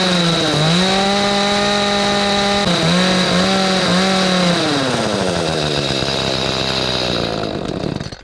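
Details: Echo CS310 chainsaw, customer complaint of no start, no idle, no cut; carburetor replaced, first test run with choke: two-stroke buzz sags and recovers, revs slide away and it quits; unstable running, needs carburetor tuning.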